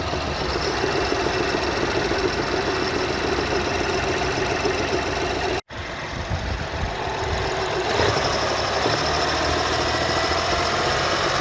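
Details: BMW X1 F48 xDrive 25e, 125 HP B38 three-cylinder, idling cold: dull, non-metallic knock about 3–4 times a second from the back of the engine, loud inside too, quieter as it warms. Cause unknown.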